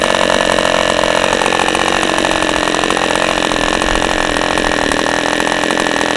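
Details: OS 40 FP glow engine, first run on a stand, 11x5 prop, OS #8 plug, 5% castor/synthetic fuel, after the air bleed screw was opened to lean the idle; steady high buzz with a soft, uneven edge; low-end mixture still slightly rich.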